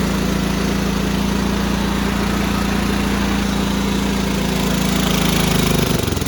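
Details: Small single-cylinder riding mower, cheap used machine started with starting fluid and choke: rough, uneven idle thumping before dying away; runs like a fouled carburetor starving it.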